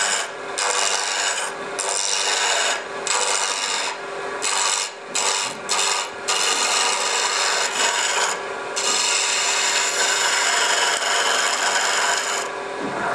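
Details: Wood lathe turning a cherry blank between a spur drive and live center at fairly high speed: a scraping cut that drops out once per revolution as the tool hits only the high spots until the blank is round.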